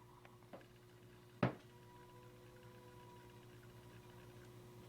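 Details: Grant LT CB radio that transmits and receives fine, heard with the volume turned down or squelch on: faint steady electronic buzz with a low hum and thin tones, one sharp click; cause unknown.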